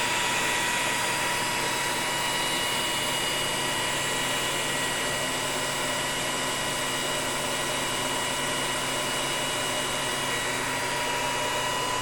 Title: Test run after repair - Inversor Lenze 8400 Stateline C